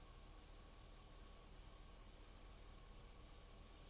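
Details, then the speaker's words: 2006 Chevy 2500 truck that runs rough and stalls, engine idling with headlights on, thin steady high-pitched alternator whine over idle rumble, charging only 11.7 volts at battery with much ripple; failing alternator suspected. "we're not charging very high right now the alternators whining we're sitting at eleven point seven volts"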